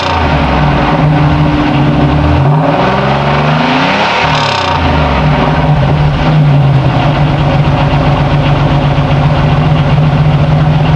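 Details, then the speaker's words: 1989 Chevrolet Celebrity CL wagon, 3.1L V6 (factory 2.8), one muffler with two tips, revved. Deep, even exhaust rumble that swells with each rev and settles back cleanly, no misses or rattles: normal exhaust note. "I think it's got a pretty good sound"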